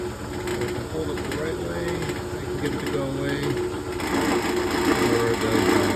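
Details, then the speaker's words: General 340 drill press running: fast metallic rattle over the motor hum, still present with the belt cover off and gone when the part is held by hand; tightening two bolts made a decent difference. "I tighten these two bolts right here and that seemed to make a decent difference again."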